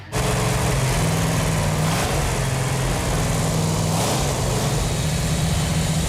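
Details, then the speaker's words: Chrysler 440 Six Pack V8, first run in 40 years after fuel lines were tightened: fires to a deep, steady rumble, throttle blips rise and fall cleanly; runs strong and sound. "It feels really good to hear that engine run. Yeah, feels good. That engine sounds so good."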